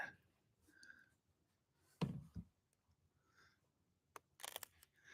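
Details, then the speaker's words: Dixie Chopper mower that won't start although the fuel pump runs: key turned gives several sharp solenoid clicks and a dull clunk, engine not turning; owner doubts the solenoid is fully at fault, cause unconfirmed. "And see if y'all can hear it, because you hear the clicking. So yeah, you hear the solenoid clicking."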